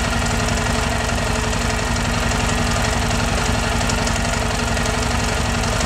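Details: Yamaha Ténéré idling with a strange engine noise: rough, uneven tapping under the exhaust beat; abnormal, cause not yet clear.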